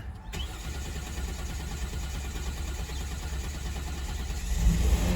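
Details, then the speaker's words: 2014 Hyundai Santa Fe with a cranks-no-start fault traced to the relay built into the EMS box: after the fix, a brief crank catches quickly into a steady, even low idle with no misses or knocks. A normal start. "okay started it's running now so I switch it off and I'll put everything back together"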